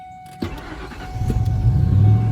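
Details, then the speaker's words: Auction Ford F150 truck: short starter burst, engine catches at once and settles into deep even rumble; normal healthy start. "This thing runs pretty strong, so you can fire back up here."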